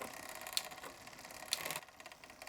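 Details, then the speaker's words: Bicycle rear derailleur after tuning (cable barrel adjuster set 1.5 turns past first shift): fast freewheel ticking, two crisp shifter clicks about a second apart, each with a quick clean chain change to the next cog, no grinding; clean gear shift. "click and a shift. Click, shift."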